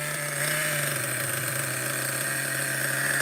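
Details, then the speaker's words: Schumacher XTR-3E nitro stadium truck on first fire-up, engine very cold: high buzzy idle holding a fairly steady pitch with slight wavering as it warms; idle relatively okay, normal running. "so far the idle is relatively okay let's let it warm up a little bit very cold"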